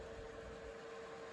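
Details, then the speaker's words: Reiker Room Conditioner ceiling fan with built-in heaters, new in box, drawing 12 amps with heater on full and light on: in heater mode the fan runs reversed at its single fixed speed, a bit slower than medium, with a steady airy whoosh and constant mid-pitched motor hum, loud but normal. "And you can hear the heater kicking on there."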